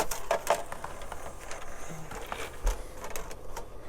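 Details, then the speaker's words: PlayStation 2 console being bench tested while loading a disc. Busy clicking and ticking with a light whirr as the drive seeks and reads; loud, but normal for this disc drive. "it is still sounding a little bit loud but sometimes that's just how these PlayStation 2 Disc drives are"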